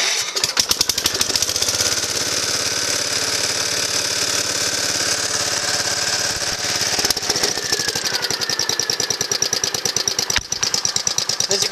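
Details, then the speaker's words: Gravely Commercial 12 walk-behind tractor single-cylinder engine, points converted, push-button starter added: brief crank, then catches and settles into a quick, even beat with no misses; starts and runs cleanly. "she's running real good"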